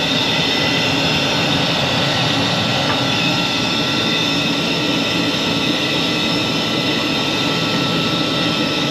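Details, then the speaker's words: Carrier furnace after circuit board replacement, ignitor lit: steady rushing whir with thin harsh ringing tone on top; draft inducer motor noisy, may be going bad. "motor's not sounding too good thank you I don't like the way that motor sounded I'm gonna have to do a little bit of investigating on that that motor almost sounds like it's going bad"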